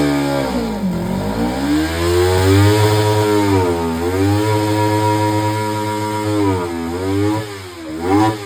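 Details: Kawasaki Ninja 300 after throttle body cleaning, which fixed a cold-start problem: several blips rising and falling smoothly, no misses, knocks or rattles, crisp throttle response. Normal revving.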